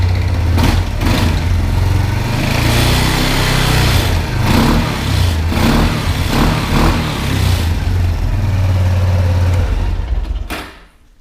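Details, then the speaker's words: 1999 Kawasaki Prairie 300 ATV at fast idle after the rattling exhaust heat shield was fixed, before the ignition coil swap: steady, even engine beat with a slight remaining noise from the belt area, much reduced; no loose metallic rattle, now running normally. "there is still a little something coming from the belt but it's it's way reduced and it actually sounds normal now not like it's about to fall apart so that's good"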